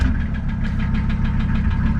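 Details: Mercedes 300TD diesel after fixing glow plug no-start by cleaning connections with a Dremel: quick start, steady even diesel clatter with firm beat, no misses; idling much better, less choking.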